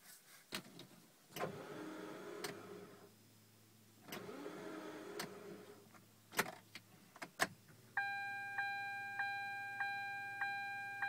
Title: Car won't start